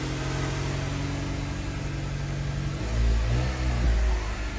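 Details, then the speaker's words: Honda CR-V after broken exhaust manifold bolt replaced and rusted muffler pipe welded: smooth quiet idle with one brief rev blip, no ticking, rattles or exhaust puffing; exhaust sealed and healthy. "well let's uh start this up and see if it's nice and quiet now that sounds much better"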